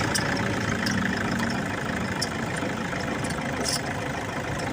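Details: Toyota Innova diesel idling: rough uneven rattle with faint scraping ticks from a worn, cut alternator pulley; pulley replacement recommended.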